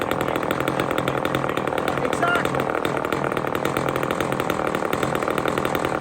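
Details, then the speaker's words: Old chainsaw that needs carburetor work: screams at high revs, pitch rising and falling as the high-speed mixture screw is turned during tuning. "you can hear rev up and back down this is an old saw it actually needs carburetor work"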